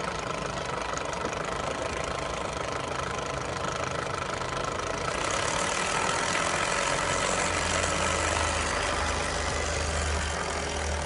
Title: K11 micra rattling noise!